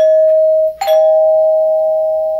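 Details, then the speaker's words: Dimango/Thomas & Betts door chime with a real wood cover, plastic housing, plastic on-board resonators and dual notes: a clear bell tone, a brief strike, then a steady lower second tone ringing on. Normal two-note chime. "it's a very simple belta plastic housing with plastic on board resonators and dual note so it sounds like this"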